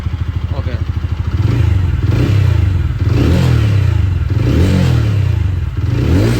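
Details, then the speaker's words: TVS Ronin single-cylinder after full engine teardown and rebuild for internal noise (first suspected clutch), cold start: fast idle settling to steady throb with light blips, no unwanted engine noise; smoothness and sound like before, normal. "ഇപ്പം ഈ ഒരു experience എനിക്ക് ആ പഴയ വണ്ടിയുടെ ആ ഒരു സ്മൂത്ത്നെസ്സും ആ ഒരു സൗണ്ടും ഒക്കെ തന്നെ ഫീൽ ചെയ്യുന്നുണ്ട്."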